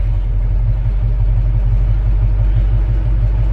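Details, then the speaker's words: V8 truck warm after running 15–20 minutes: deep, low rumbling idle with a steady lope and no obvious knocking; owner says it's just about perfect, a little ticky and slightly exhaust-leaky. "Love the sound of this truck. It's just about perfect. It's been running about, 15-20 minutes now."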